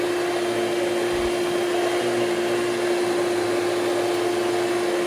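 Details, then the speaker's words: Hoover Celebrity QS vacuum on high speed after top motor bushing was lightly lubricated: steady roar with constant whine, no grinding, improved but still noisy, worse on wind-down; dry bushing suspected, needs dismantling; noisy motor. "yeah as we can hear it it's not as bad as it was but it's still not very great it's it still doesn't sound very great when you when it winds down"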